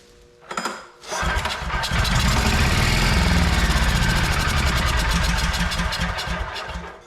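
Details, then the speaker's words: Vintage Onan Pro6000E generator, 12.5HP Elite 140 OHV engine from abandoned house, first start on starter fluid, mic by exhaust; coughs, catches first pull, about six seconds of steady even firing; normal start and run. "It actually ran for way longer than that. Sounded fine."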